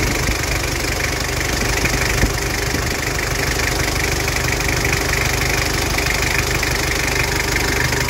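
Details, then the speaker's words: 2012 Mazda BT-50, 2.5 TDI diesel with mechanical injection pump, 135,000 km: steady, even diesel clatter at idle with no misses or stumbles, turbo working; sound, healthy engine. "sangat mantap pemirsa tooksare tidak pincang Turbo juga bekerja"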